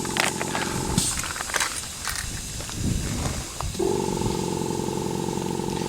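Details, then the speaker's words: Pneumatic electric gate with compressor-driven rams, run again with control box door shut: steady even hum with soft hiss, no knocks or grinding, much quieter than with box open; normal gate operation. "It's not anywhere near as noisy. And we're back up a bit to about here. There we are. And I'll press the button on the remote, and as you can hear it's a lot quieter this time."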